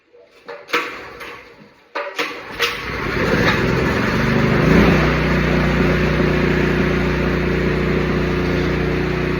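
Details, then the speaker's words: Porter-Cable 24 gal air compressor after maintenance, sand, mud and water cleaned out via drain plug: clunks and handling, then compressor starts and settles into steady, even chugging drone; runs healthy. "We're about to listen to this son of a bitch sing its heart out."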